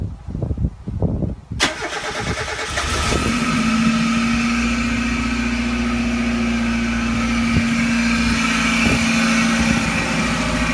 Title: Whirring / grinding noise MX-5